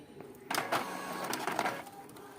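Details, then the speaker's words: Epson L3210 printer: soft carriage whir, then sharp clacks as the print head suddenly slams hard to the right, intermittently, including during drying. Possible causes named are a damaged head, a faulty flex cable or a motion sensor problem. "jadi kadang normal kadang tiba-tiba ini tadi tidak terlalu keras ini suaranya sebelumnya keras sekali"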